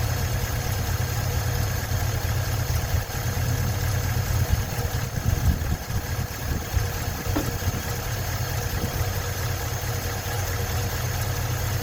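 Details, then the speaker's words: 1956 Ford truck, 45,000 original miles, running after 40+ years sitting: steady low idle, no knocking or banging, some handling noise; normal idle, battery light on suggesting no charging. "I don't hear any knocking or banging. Pretty good for having not run in 40 plus years."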